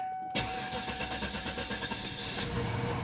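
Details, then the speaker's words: 1998 Cadillac Deville after fuel pump install, thermostat change and radiator flush, battery still a little low: brief starter whir, then engine fires and runs with a steady, fairly even pulse; normal start, slight knock noted afterward. "The battery's still a little low, but that is good news."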